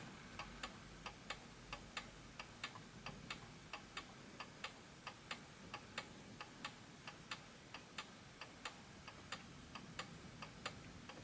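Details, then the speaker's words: Antique 1920s Napoleon hat 8-day chiming mantel clock, freshly wound and positioned: steady ticking about ninety a minute but tick longer than tock; out of beat, fixed by nudging left or right at the back. "that the tick, notice that it's stopped, that the tick was longer than the tock."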